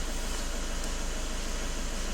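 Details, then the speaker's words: Idle of a VW Caddy 1.6 TDI diesel with manual gearbox, just restarted after restoring the choked engine (EGR, throttle, glow plugs serviced), errors cleared; steady low diesel rumble, even idle settling with no knocks or misses, normal idle. "так автомобіль заведений помилки я видалив е на витяжки бо смердить АС він трохи стабілізирується"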